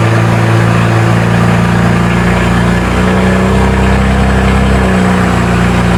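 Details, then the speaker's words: BMW with N54 direct-injection engine at its first start after intake valve walnut blasting and new gapped spark plugs, having not run in a while; loud, smooth, even idle with no misfire or rattle while warming up to temperature. Normal idle. "But she's sounding good. She hasn't ran in a while. So I'm going to let it get up to temperature."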